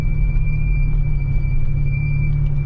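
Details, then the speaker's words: Lotus Esprit S4 while driving, cabin also smelling strongly of petrol; thin steady high brake squeal over low road rumble, cause unknown. "can you hear the brakes squeaking"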